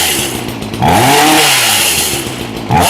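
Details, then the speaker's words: Ryobi chainsaw revving cleanly after a carburetor rebuild and new spark plug, started on full choke after priming, with crisp revs climbing and falling and no stumble or bog; no retune was needed. Normal revving. "Okay, that's about what I expected out of this one. I expected it to crank up pretty good."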